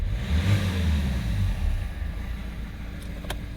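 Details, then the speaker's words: 2015 Hyundai i30 diesel after a partial intake clean: from idle, a brief rev makes the engine note sag and rumble unevenly as if about to cut out; it has cut off at about 2,000-2,500 rpm on releasing the throttle, cause not yet known. "right so it's running idle give it a rev it wants to cut out it wants to"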